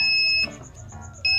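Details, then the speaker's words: Polytron Zerometic single-tub washing machine control module after PSU repair (5V supply measured 4.4V, normal): two clean high beeps about a second apart as the on-off button is pressed; buttons, spin and on-off now work normally. "Nah sudah normal tombol sudah fungsi semua untuk Spin untuk Roy sudah normal semua on-off juga sudah normal"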